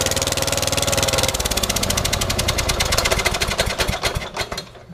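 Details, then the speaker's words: Troy-Bilt Bronco 42in riding mower with a Kohler 20hp engine, running after a carburetor change and tune-up; a sharp, uneven puffing chuff over the beat reveals a major exhaust leak, to be welded up. "switch the batteries out let's try this again sounds like it's kind of a fat exhaust leak"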